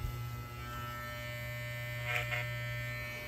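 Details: Wahl hair clipper tested after blade sharpening and alignment: a steady, even low buzz with brief cutting bursts, no biting, rattle or bogging. The clipper runs and cuts smoothly.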